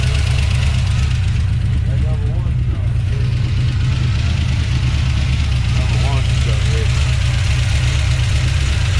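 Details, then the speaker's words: 1970 Plymouth Duster 340 V8 idling: low lumpy idle with uneven stumble; header colour shows cylinders four and six weak and cylinder one running too cool, dead-cylinder misfire. "that should be way hotter than that okay so one is definitely having issues"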